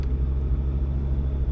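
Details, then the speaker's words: 2001 pickup truck bought at auction for parts, about 28,000 miles shown, full tank of fuel, no dash warning lights; deep, even low rumble with no knocks, ticks or misses; a healthy idle. "no warning lights on the dash this thing actually sounds good little Dusty yeah I think Run's good"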